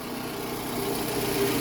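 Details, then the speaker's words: Toyota Alphard ANH20, idling. Quiet, even idle with a faint rough, gritty whirr underneath, coming from the rear idler pulley. Its bearing is worn and the pulley slightly wobbly; it needs replacing. "Nah, ini ini ada sedikit kasar bunyi-bunyi sedikit kasar itu dari idle puli. Idle puli yang bagian belakang ya. Nah, ini dia. Dia udel pulinya udah agak goyang. Bearingnya memang udah agak kasar. Jadi ee nimbulin bunyi kasar juga."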